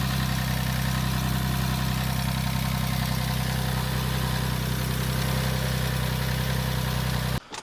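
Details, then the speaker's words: Porsche 996 flat-six, which sat in a garden for 8 years, idling after an immobiliser no-start issue: deep, steady, even idle with no misses or knocks, sounding much better than its first start. "But it's not sounding too bad. So it's definitely sounding a lot better than it did the first time we started it before we had this immobilisation issue."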